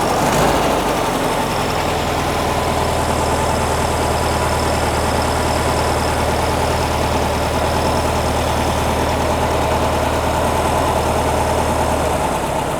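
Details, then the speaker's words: 1957 oval-window VW Beetle air-cooled flat-four with generator, warmed up, being carburettor-tuned: very slow, steady low rumble with even beat and no misses; normal super-low idle. "why right like the super low idle it's a gen engine meaning generator sounds good"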